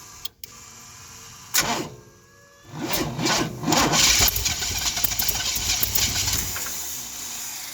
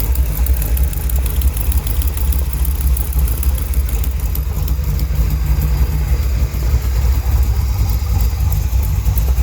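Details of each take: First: 1971 Chevy Cheyenne factory big block 454 with new Jegs Bandit EFI, first start with a new cam to break in: short crank, catches immediately, steady slightly lumpy V8 idle, no misfire; EFI started without issues. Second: 1971 Chevrolet Cheyenne, factory big-block 454 V8 on Jegs Bandit EFI, first start, cam believed broken in, rear jacked up; loud low idle with sharp ticking puff over the firing beat. Header leak at number two cylinder.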